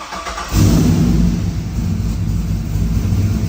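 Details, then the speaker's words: Turbo 6.0 AWD Silverado first fire-up, O2 sensor had read lean; quick crank, fires and flares, then drops to a steady, even lumpy idle without hunting; starts and idles fine. "oh boy it actually idles sick jeez that was like 5 Seconds worth of work on it idles now"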